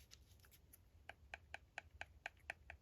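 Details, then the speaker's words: Shimano Curado DC baitcaster during cast control adjustment: sharp light uneven clicks about one per second as the spool knocks along its shaft from end play; tightened until knocking just stops. "Still knocking. Not knocking anymore. I'm going to loosen it up a little bit. Right there, it knocks a little bit."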